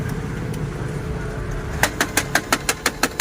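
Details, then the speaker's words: Canon MF244DW printer at power-on: sharp, regular clicks about six per second over the printer's hum as the mechanism keeps turning; worn drive gear clicking, fixed by gear replacement. "Power on करते इस तरह की printer में आवाज आ रही है cut क cut भी रेडी फिर से देखना"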